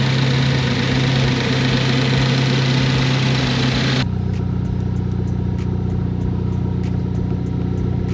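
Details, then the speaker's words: Ford Focus ST fully reassembled after being brought back from a disassembled state: steady, even idle hum settling to a smooth regular beat, no stumbles or ticks; normal idle, no codes or misfires. "The next owner's gonna be very pleased with this car. Runs great, no codes, no misfires, all the lights work."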